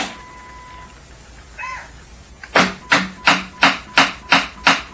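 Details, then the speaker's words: Motorcycle that won't start; voltage fluctuates under the starting load; sharp rapid clacks, about three per second, and no cranking: starter solenoid chatter from a weak battery. "If there is a short in an individual battery cell, the voltage may look okay until you apply a load, like when you go to start the bike. When the load is applied, the voltage will fluctuate and you'll get this noise."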